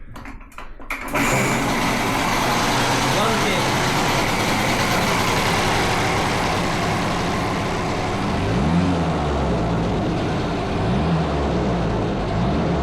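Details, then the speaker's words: Di Blasi folding moped two-stroke after wiring and carburettor repair. After a couple of short tries it catches and settles into a steady, even, duck-like buzzing idle, and the lights work. It runs fine. "It sounds like a duck. High beam, low beam. Okay, it all works. And it sounds like a duck. It really sounds like a duck."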